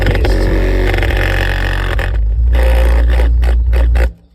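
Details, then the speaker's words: 2016 Honda Civic Touring 2-door coupe subwoofer: deep steady bass with a faint buzzy rattle on top. The cone surround is believed burned out; it is to be replaced with an 8-inch Kicker sub. "The sub sounds okay now, but you can hear there's a small little rattle, so when you have"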